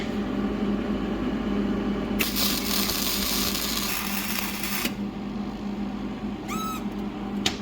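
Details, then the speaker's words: Hobart Handler 140 flux-core test weld on a new welder, after the oxidation was cleaned off. A steady crackling sizzle for about three seconds, even and uninterrupted, over a low room hum. A smooth, healthy flux-core weld. "There we go. Yeah, it sounded really nice."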